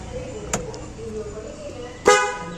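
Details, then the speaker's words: Ashok Leyland Dost after fitting and wiring two horns with a fuse: a short blip, then a firm, clear, steady horn blast over street noise; horns working normally after repair. "ஹார்னோட sound பார்க்குறீங்களா? இங்கே ஒன்று வச்சுட்டேன், அங்கே ஒன்று வச்சுட்டேன். நல்லா இருக்குது."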